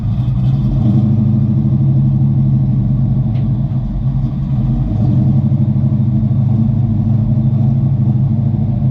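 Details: 1988 Mustang GT V8 just started after base idle reset and timing set, running third computer with 306 heads/cam/intake tune: deep even burble, steady idle with slight dip and recovery; normal idle.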